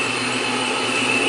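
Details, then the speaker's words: 2012 Mustang GT V8 with new Borla S-type quad-tip mufflers idling with the hood open; steady high blower whistle at constant pitch over a smooth idle; normal supercharger whine. "What is that whistling sound? That's the blower. It's because the hood's open."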